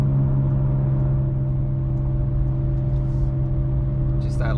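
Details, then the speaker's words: Nissan Sentra on the road: deep steady humming under road noise from the rear, getting louder with speed, from a worn rear wheel hub bearing; owner replacing the whole hub assembly. "loud humming just run it gets louder and louder the faster you go"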